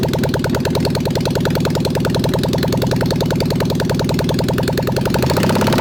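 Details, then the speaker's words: Honda CB750 SOHC four-cylinder swapped into a 1980s Suzuki Quad Sport 230, first run in years, carbs cleaned, choked, no pods or exhaust: fast uneven stumbling idle, running on all four; rough idle, needs pods and exhaust before tuning. "it was kind of idling man yep i mean she needs well she's gonna need pods yep it's gonna need exhaust yup it's it's not gonna run right until uh we get pods and exhaust"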